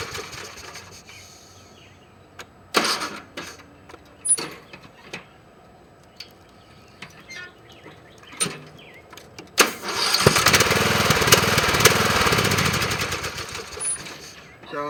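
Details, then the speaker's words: Briggs & Stratton mower engine with added chainsaw compression relief valve: several pull-start bursts, catches about ten seconds in, runs evenly; compression release audible at start; normal starting. "if you also listen when I start you can hear the compression being relieved"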